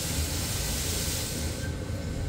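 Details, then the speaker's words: Steam engine warming through at steam museum, drain cocks opened to clear water from line and cylinders: steady loud hiss of dry steam blowing through one cylinder drain, other side still full of water; drains clearing normally. "there we go we've got steam blowing through on that one which is what we want the other one's still got lots of water in so I'm just going to turn it back down"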